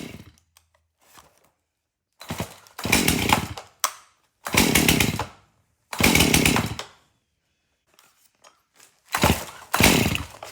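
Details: Stihl MS271 chainsaw, hard to start, suspected bad fuel; after tank found clean and fresh mixed fuel added: four sharp throttle bursts climb cleanly to high scream with quiet idle between; now idles and revs, runs pretty good.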